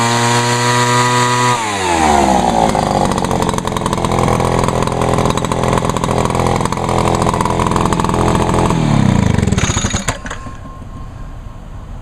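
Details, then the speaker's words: Vintage Echo PB-400E backpack blower: the two-stroke buzz climbs quickly as the left-side throttle lever opens, holds a steady, even roar, then drops off. Normal full-throttle run. "yep it's a it's a loud one but it's a good one though"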